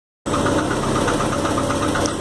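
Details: 1990 VW Voyage with the AP 1.8 petrol engine idling with a quick, regular dry knock; the cause is unknown to the owner. Months later water mixed with oil, and the engine was fully rebuilt, which solved it.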